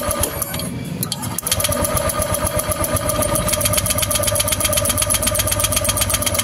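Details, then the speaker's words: Honda Vario 150 scooter, no ignition: starter cranks steadily about four turns a second, never catches; original coil gives only small spark despite resistance seeming fine. "Nah kalau kalau koil ini kita tempelin ke masanya sini ada setrumnya tapi kecil kan ya tetapi saat kita pasang e kita dekatkan ke businya motor enggak mau menyala ya"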